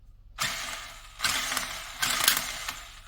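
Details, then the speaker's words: Toy 4x4 car with one wheel repaired: short bursts of harsh high rattling grind each time the motor is powered, from destroyed gearbox gears; front wheels still pull but won't last long. "you can hear the noise that's the noise of grinding gears but yeah front is also pulling not for long of course"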